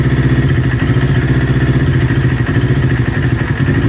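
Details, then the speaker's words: Newly built Kawasaki Ninja twin, warm idle before coil pack replacement: lumpy beat with occasional stutters; exhaust manifold temperature checks show right-hand cylinder running 15–20 °C cooler, suspected misfiring from a faulty ignition coil. "because the bike is idling, it's just now and then it has a stutter, so the one cylinder is going to start running a little bit cooler than the other, and the one that's running cooler is potentially the one misfiring"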